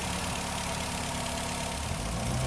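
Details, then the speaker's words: 2008 Nissan Rogue after fixing P0300 misfire and engine rattle by replacing ignition coils and spark plugs, previously shaky: smooth, steady idle with an even low hum, no rattle, stumble or shake; engine healthy after repair. "i'm gonna take you right here on the on the aging bay and i want you to listen that sound it is so satisfying and if you can't tell the difference"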